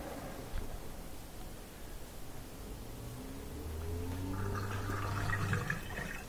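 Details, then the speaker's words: Bosch/Thermador dishwasher after reset (button held 3–4 seconds, which drains water and resets the computer): steady low pump hum with gurgling water from about halfway, even and smooth; drain pump emptying normally. "You can hear it draining right there. Yeah, that's great."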